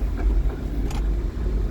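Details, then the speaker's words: 2008 Jeep Wrangler, 120k miles, 6-speed manual, test drive: low steady engine rumble through shifts two, three, four and downshifts, no grinding or synchro issues; normal manual gear shifts. "two 3 four smooth downshift no grinding on the downshifts just like that"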